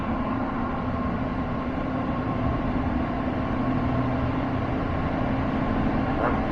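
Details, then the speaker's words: 2015 Chevrolet half-ton pickup after repair of a worn valve lifter and camshaft causing a cylinder 2 idle misfire, on test drive at speed under light load: steady, even drone with no stumble, misfire counters at zero; normal running under load. "now we're getting her up to speed and under a little load everything's good to go"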